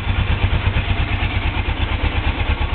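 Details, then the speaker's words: 1983 Suzuki GS450L twin, after warm-up, not run for two to three weeks: even, steady low thrumming idle with regular pulses, no knocks or hunting; normal warm idle. "now she's ready so that's about how long it takes me to warm this puppy up"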